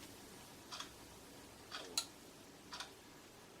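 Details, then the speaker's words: Relay clicks about once a second inside a YR1035+ four-wire lithium battery internal resistance tester, normal switching while measuring cells. "charging the discharging will be done and have a proper idea you can hear some relays clicking inside the test machine"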